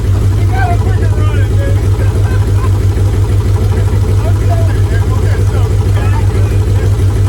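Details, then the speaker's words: Free Mitsubishi 3000GT SL, front-wheel drive, first start of project car: rough, lumpy idle with uneven low chuff and stumble; not running on all six cylinders, two coil packs to be bought. Misfire. "you said it was running on six cylinders we wish it was so the car is not running on all six cylinders we gotta go buy two coil packs tomorrow"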